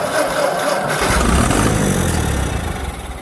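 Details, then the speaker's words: 1956 Ford 960 tractor, first start after sitting; after cleaning the points for a suspected loss of spark it cranks, fires and settles into an uneven low chug that slowly steadies; engine starts and runs. "and she fires so that'll probably be it for this guy for a little bit"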